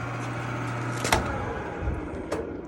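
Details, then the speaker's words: Curbside Frigidaire gas dryer at start-up: steady motor hum with clunks but the drum does not turn; likely a broken drive belt. "I hear the motor moving but the drum is not moving this is a broken"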